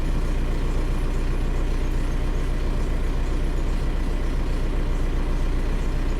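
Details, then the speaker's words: 2003 VW Jetta TDI diesel, cold start in neutral once the glow plug light went out. It starts up a little rough: a clattering idle with a slightly uneven beat. The owner notes it usually ran almost perfect with the AC on. Rough cold-start idle, cause not yet known. "all right sounded like it started up a little rough there"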